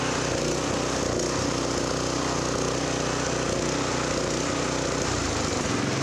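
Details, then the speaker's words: New offshore Honda GX-clone engine fitted to a Honda F501 tiller, throttle lever not yet fully open at about 3,800 rpm: steady high-revving drone without hunting; maximum-throttle screw to be tightened toward 3,500–3,600 rpm; maximum governed speed set too high. "well that was 3 800 and it wasn't all the way open yet so there's adjustment screw under here that's such a maximum throttle when you pull that lever"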